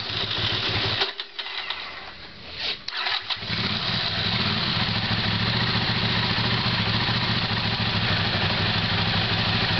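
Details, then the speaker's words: Honda CX500 motorcycle test-running newly made carburetors; harsh starter whir with clock-clock clacks as engine turns backwards from poor ignition and grips the starter motor, then slightly slow lumpy idle: starter kickback from weak ignition. "you are knocking on clock sound that's when the engine is turning backwards because there is not a good ignition and then it's gripping itself to the starting engine starting stud motor and then you hear clock clock"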